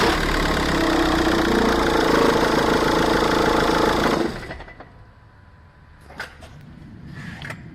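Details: VW Caddy 2K 1.9 TDI (BJB/BLS) diesel at idle with rapid chatter, belt squeal and the tensioner flapping; caused by a failed alternator one-way clutch (overrunning) pulley, which was diagnosed and replaced.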